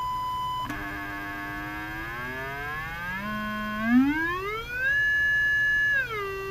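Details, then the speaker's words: Emerson R-156 electrodynamic speaker after field coil replacement, original cone and new cardboard gasket, field coil powered: clean steady test tones stepping up and down in pitch, amplitude then cut down, no rattle, buzz or distortion; test judged a success. "hear that we'll call it a success for now and hopefully when you get it back in your restored Emerson receiver this thing will play well"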